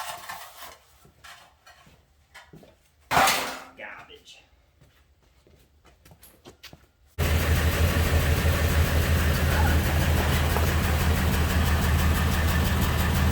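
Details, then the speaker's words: Ford Super Duty service truck (2000s) with low power; plugged catalytic converter just removed: open-exhaust idle settles low with an uneven putt every few beats. Single-cylinder misfire, suspected cylinder 4. "fix that up now we've got a little bit of exhaust flow coming out there a little putt-putt you can hear it missing now i'll bet cylinder four's done skis"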